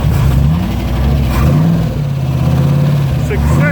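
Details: TVR wedge V8 just after a new Facet red top fuel pump was fitted under the bonnet, fuel pressure regulated at 4 psi: cranks briefly, then catches and settles into a steady, even idle with light blips. A normal start, with no leaks.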